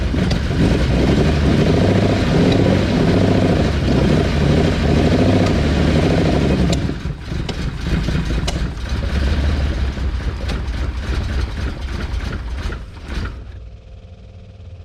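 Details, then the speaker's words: Ferrari 400GT carbureted V12 (DCOE side-draft carbs), as delivered: uneven lumpy running that stumbles, sags and dies, won't hold idle and stalls unless revved high. "cuz if you just tried to run it on its own you know the car would stall out would not idle would not stay idling"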